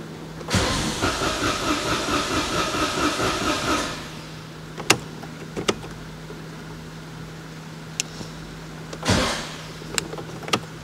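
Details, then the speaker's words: Citroen AirCross 1.2 three-cylinder 82 PS with little fuel: starter churns about three seconds with uneven pulses, nearly catches, then nothing; cranks but won't run. Owner suspects no fuel or a slow fuel pump. "well it's like it tries and then doesn't"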